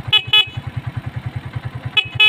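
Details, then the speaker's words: Honda TMX Alpha 125 after a full wiring rework, horn tested through an added 3-way switch (down = stock horn, up = Night 3 Pro loud horn): four sharp, clear beeps in two pairs over a steady single-cylinder idle; the horn works properly. "Tapos, sunod natin, yung kanyang busina naman. So, dito natin nilagay yung 3-way switch ng busina niya."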